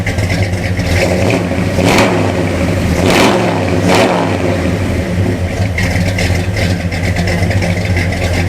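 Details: 1974 Ford F250 V8 (looks like a 390) with Comp Cams Thumper camshaft, after valve adjustment and timing and carburetor tuning: lumpy cam idle, picks up cleanly on quick blips and returns to a steady idle.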